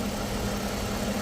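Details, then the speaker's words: 2013 Lexus ES350 two-bank engine at idle with A/C on after replacing a faulty pulley with a brand-new one: smooth steady idle, no squeal, chirp or rattle from the belt pulleys; noise fixed. "दोस्तों अभी देखो आप लोग देख सकते हैं कोई आवाज नहीं है। एसी चालू है। एसी चालू है। कोई आवाज नहीं है।"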